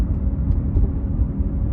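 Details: 2009 Cadillac CTS, noise on driver's side, driving at about 25 mph: steady low droning hum, heavy and constant with road speed; wheel hub bearing noise, bad hub bearing confirmed and replaced.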